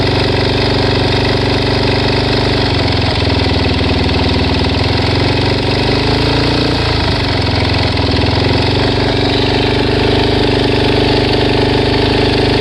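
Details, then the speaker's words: Suzuki DR-Z400S single-cylinder after replacing cam chain and both cam chain guides and changing oil, idling after a 10-mile test ride; runs fine but fast light ticking keeps time with idle, engine ticking of unknown cause. "okay so I just took it for a test drive probably 10 miles it runs fine but it's still making this sound"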